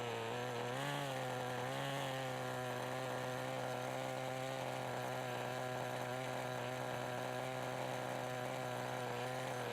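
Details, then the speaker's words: 1988 Kyosho Ford RS-200 RC car with OS Max 10 FP-B nitro engine, second startup after restoration, warmed up, steady high buzzing drone; engine tone changes as the small exhaust flap opens, no cut-out on full braking; normal running. "and again if you listen really carefully you can hear the change in engine tone when the little exhaust flap opens"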